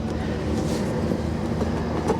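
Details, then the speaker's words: Dodge Ram SRT-10 Viper truck at salvage auction, idling with hood open: steady low idle with light, irregular ticking and scraping on top; the electric cooling fan is catching its shroud. "Yeah, cooling fan is hitting something."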